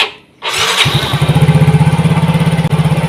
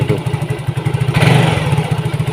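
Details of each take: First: Yamaha Mio GT after injector replacement (old one dirty, clogged): starts at once and settles to a steady, even fast idle around 1900 rpm, injector duration 1.0 ms; normal start and idle. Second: Yamaha Mio GT with a clogged, dirty fuel injector, still running badly after injector cleaning and an injector filter change, before injector replacement; the fuel pump is not weak: uneven, surging idle that sometimes runs well and sometimes barely holds on.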